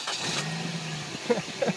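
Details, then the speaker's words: Car started by a small capacitor boost pack connected to the battery terminals, microphone held outside the car: brief crank, engine catches straight away with no dragging or hesitation; clean, quick start. "I'm going hold the camera outside the car so you can hear so you can hear the sound of the engine when this thing starts up. There's just no hesitation."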